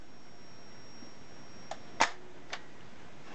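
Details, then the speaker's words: Keystone model 800 Everflash instant camera: a thin, high flash-charger squeal holds until the ready light comes on, then a crisp shutter click fires the flash and the whine drops out. Working normally after battery corrosion was cleaned. "as you can hear that you can hear the squeal from the charger as it charges up and then really all you have to do is wait"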